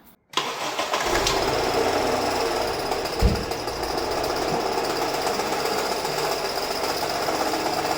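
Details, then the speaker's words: Acura/Honda starting up: engine catches, then a harsh, rough knocking clatter with one heavy thump under the idle from low on the engine; others blamed the engine or chain, but the AC compressor is locking up. "So anybody that would hear that noise, automatically your engine is gone, but it's not. You can see the noise comes from down there."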